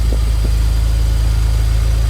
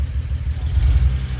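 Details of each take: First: BMW E91 335i wagon N54 engine at idle after the ignition coil swap (misfire code had moved to cylinder 2 with the coil, confirming a faulty coil); engine not yet warm. Low, even idle with no stumble or skipped beats: no misfire, normal idle. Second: BMW N54 335 wagon (E91) at idle, coil swapped to cylinder 2 to see if the misfire follows: uneven idle, beat stumbling and dropping out; misfire.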